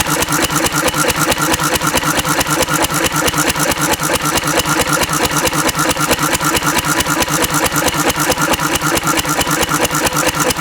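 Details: Antique Cushman Cub 3 hp four-stroke, throttle-governed stationary engine running on about 90% Zippo lighter fluid. A steady even chuff of about 136 per minute with no misses, running fine.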